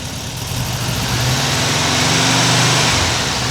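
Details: 1979 US fuel-injected air-cooled VW Super Beetle convertible with a new Vintage Speed stainless exhaust, microphone on the camera, downpipe insulation smoking as it burns in: an even, deep idle swells smoothly on a light rev with no ticks or rattles. Healthy.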